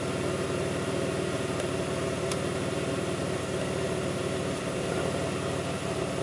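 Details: 2002 Pontiac Grand Prix 3800 V6 at idle, no check-engine light, alternator overheating; faint intermittent thumping pulls the idle down. Uneven, lumpy beat with occasional soft thumps in the low rumble: rough idle, cause unconfirmed.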